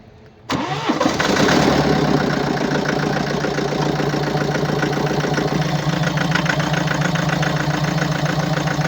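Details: 2017 BMW 525d F10, N47D20D 2.0-litre diesel, 218 hp, 138,035 km: starts cleanly, then settles into a loud, uneven clattering tick at idle, caused by defective injectors and defective swirl flaps.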